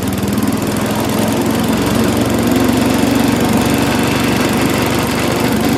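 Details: Mighty Mac wood chipper/leaf shredder, previously non-running, small engine first start after priming with gas, buzzes at steady fast idle without stumbling or surging; runs on its own normally, though flails had briefly jammed, possibly on a branch.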